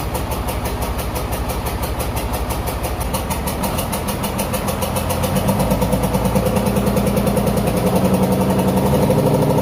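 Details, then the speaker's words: 1994 Dodge 250 12-valve Cummins with P-pump, first test run after reassembly: uneven diesel clatter, pulses about three a second rising with revs; injector lines bled of air, still rough, owner blames badly set valve lash and will reset valves. "so I bled every individual injector line to try and get the air out and it's running a little better but it's still I got the air out but it still sounds like the valve sets really bad"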